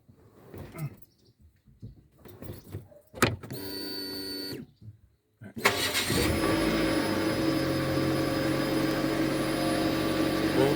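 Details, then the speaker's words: 2007 Nissan Wingroad WEY11 with QG15 engine, after repairing a burnt fuel pump connector terminal that caused a crank-no-start: the pump hums steadily for about a second while priming, then the engine cranks, catches and settles into an even idle, a normal start. "We going on start. So, you hear the pump prime"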